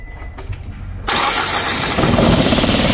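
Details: 2007 Nissan Versa/Tiida, code P0300 multiple cylinder misfire: cranks, catches, then settles into an uneven, loping beat with a skip in the rhythm; one cylinder dead, no injector pulse.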